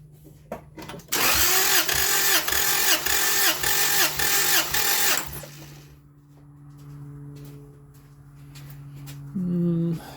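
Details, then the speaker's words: 2000 Acura Integra B-series engine, cranking during compression test on cylinder two: even chug about three compression pulses per second then stops; compression decent but air pressure pushes into the coolant system, blown head gasket at this cylinder. "let's see if there's air pressure in the coolant system yep that was a little bit of air if you heard that so two I recall was our problem uh when I pulled the cap off it their air pressure did come through the coolant system"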